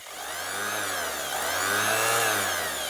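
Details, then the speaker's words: Makita lightweight orbital sander with dust collector, plastic body, tests safe; run through variable speed settings and back to one. Smooth even whir rising and falling with setting, no rattle or grinding; sounds like brand new, normal running. "variable speed as [Music] well back to one that sounds like a brand new one so I'm more than happy to hang on to that one"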